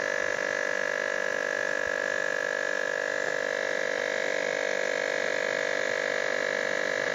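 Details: Refrigerator compressor pressure test for weak or reversed pumping, outlet closed once the sound gets heavy: steady, unbroken hum with a firm mid tone and higher whine, no knocks; compressor labouring against the closed discharge.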